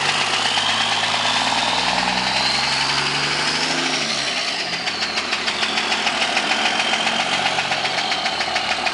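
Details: 2002 Dodge Ram idling: steady tapping knock about three per second that stays with the running engine; engine knock.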